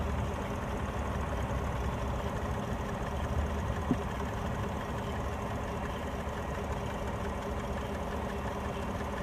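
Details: 2016 Chevrolet Tahoe 5.3L V8 idling after adding a ground strap at dipstick tube bracket/valve cover to cure no-crank electrical faults, 14.6 V, ~0.3 V drop, ~12 A: low even idle, steady hum, no knocks or misses.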